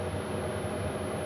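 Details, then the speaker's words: Chinese diesel heater in a camper van run via a 12V transformer, igniting; even, steady whooshing roar with low hum, no stutter or popping: normal diesel heater startup. "I can hear the diesel feet are flaming up yeah this is quite normal they normally Peak about 130 Watts"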